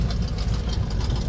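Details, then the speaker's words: Carbureted engine just after cold start, choke previously misadjusted fully shut, now corrected; even, steady low rumble with no misses, stumbles or knocks; idling smoothly and healthy. "This thing is so dog on quiet I can hardly hear it anymor"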